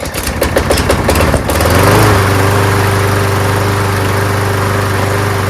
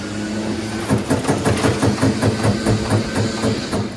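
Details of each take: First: Toro Super Recycler mower with aluminum deck and Quantum engine, primed and pull-started: a few rough pull-start chuffs, then it catches and settles into a steady, even drone; running healthy. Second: Troy-Bilt Gardenway 47278 vac chipper, Briggs flathead horizontal engine, pulled slowly on choke. Light regular clatter with no compression thump on any stroke and very easy to pull; no compression, and the owner suspects a blown engine, not yet confirmed.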